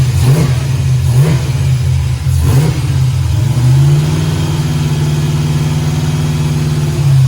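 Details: 1968 Camaro V8, second start-up, Holley EFI lacking correct injector data: deep smooth rumble climbing cleanly on several blips and settling to steady idle that still needs adjusting; slightly smoky from oil in cylinders, oil pressure error; normal revving.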